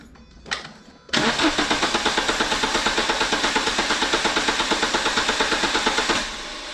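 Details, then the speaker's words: Renault Clio 182 Cup cranking while upper cylinder head cleaner is poured into intake: about five seconds of even starter chugging, three beats a second, before dropping to a quieter run; slow start caused by cleaner. "Keep cranking, mate. Now what you saw me do then is while Mark was cranking again, I'm just pouring the stuff down there. That's why it wouldn't start."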